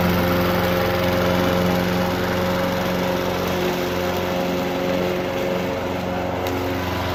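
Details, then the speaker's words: Honda HR214 garage-sale push mower, old dark oil not yet changed, idling after about 2 minutes running once initial smoke cleared; even, steady single-cylinder drone, constant pitch, no misses or surging, runs really well. "After about 2 minutes of running, as you can see, the smoke is stopped, and listen to it idle. It actually runs really well, and you know, $10, what can go wrong?"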